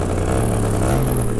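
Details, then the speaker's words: Two-stroke paramotor with a custom stainless steel exhaust, in flight. The tone changed while climbing at 3/4 power, and when throttled back to idle it went hollow, a steady flat drone. After landing, the main weld where the exhaust leaves the header was found cracked. "So I backed off to idle and it sounded very hollow, like broken exhaust hollow. And I was like, that's not good. Shut it down, came in for a landing and found that right at the header is cracked."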